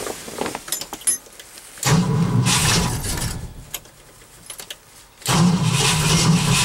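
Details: Cold start attempt after an overnight low of -11 and 0 degrees at start: two long steady cranking bursts with no firing between; owner thinks he flooded it and is unsure the battery has enough charge. Cranks but will not start.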